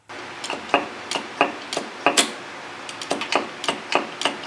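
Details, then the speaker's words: SU carburettor piston-drop check while centring the jet, with the jet lowered to compare clicks. Crisp, even metallic clicks as the piston drops; the rear carb needed re-centring until raised and lowered sounded alike, now judged good. "All right, so it is a little bit sharper. It says if a sharper sound is achieved, centralize the jet again until you can get about the same amount of sound raised and lowered."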